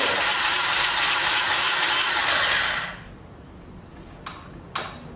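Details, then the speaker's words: 2006 Honda TRX300EX quad, rebuilt starter using old parts, exhaust just fixed: high even whir about three seconds with no cranking beat, starter spinning free without engaging; owner suspects starter gear fell off behind cover. "I hope that starter gear didn't drop. There's a bunch of bolts here. I think the starter gear fell off."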